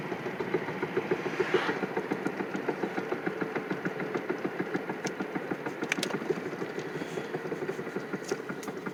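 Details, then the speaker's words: 2007 Chevy Impala driving after new wheel bearing, rotor, caliper and pads: engine running with a fast uneven ticking rattle about three and a half per second, plus shake in steering wheel; cause unknown. "okay it's uh still december 11th 2020 and i have this noise and shake in my car and i want to know what it is steering wheel"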